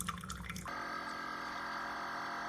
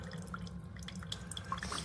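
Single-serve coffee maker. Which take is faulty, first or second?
first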